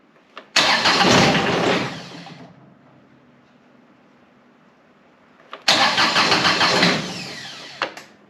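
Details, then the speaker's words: John Deere X758 diesel after an air and fuel filter change, after a glow plug cycle: two start tries, each one cranking, firing briefly, then fading out within a couple of seconds. A hard start where it catches and stalls. "Oh, it wants to. Boy, this thing is stubborn."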